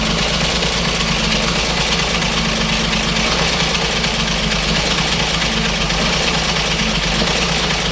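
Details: Diesel with fault code P1094 and check engine light, idle rising and falling and stalling in traffic: heavy idle that slowly swells and sags, speed hunting instead of holding steady; unstable idle, cause not yet diagnosed.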